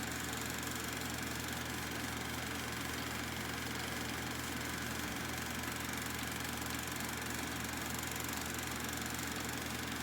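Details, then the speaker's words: Kodak Pageant AV-126-TR 16mm sound movie projector: a constant, even hum and steady whirr with no rubbing, rattling or pitch change. The cooling motor removes heat from the very hot lamp and is running normally. "yeah this lamp is actually heated up like crazy it has a cooling motor to to eliminate the heat from the the lamp"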